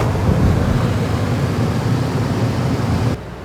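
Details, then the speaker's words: Newly installed Coleman-Mach 10 NDQ rooftop RV air conditioner on high cool, blowing cold air: steady, even low hum with smooth airflow rush, about 61–62 dB (55–56 dB on low), quieter than the previous unit; normal operation. "And it's blowing cold air. Cool. So right now I've got it on high cool."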